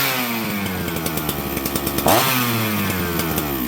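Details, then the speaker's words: Husqvarna 266XP chainsaw from auction: fires with quick popping pulses, catches, blips to a high buzz and settles smoothly, starting and running cleanly. "Does it start cleanly? Yes, it does."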